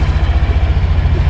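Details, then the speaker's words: New 2024 Honda Beat Premium 110 scooter started with one press and with the kickstarter: low steady idle thrum with evenly spaced firing pulses and no ticks or rattles, a healthy normal idle. "Talaga namang buhay na buhay, gigil na gigil, at galit na galit ang Honda Beat Premium."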